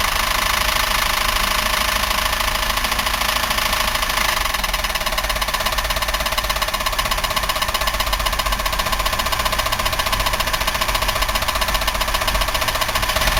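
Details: 1990 Buick LeSabre 3800 V6 idling with front valve cover off: loud, steady hard metallic knocking racket, oil spilling below; owner unsure if bearing, lifter or rod, considers engine trashed and is replacing it.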